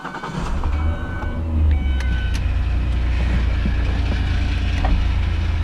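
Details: 2003 Ford Escape after a fuel pump replacement. The engine cranks briefly, catches within half a second and settles into a steady, even low idle; clean start with good fuel delivery.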